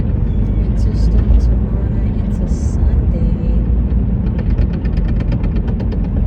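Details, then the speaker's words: Unidentified vehicle that shakes while driving, with a deep engine rumble and a light, quick knocking, about seven a second, that becomes clear near the end; the owner asks what the knocking is. "It shakes when I'm driving and kind of makes like a knocking sound."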